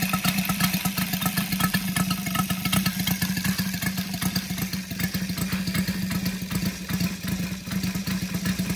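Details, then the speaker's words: Brand-new Saito FG-73 five-cylinder radial, fully upgraded with MMM hardware, swinging a Biela 20x10 four-blade prop (600–5500 rpm). It gives a smooth, even rapid beat and steady low drone with no misses or knocks. Normal healthy running after an easy start. "as you can see uh engine starts lovely and very easily as well um exhausts really finish it off make it sounds uh pretty healthy"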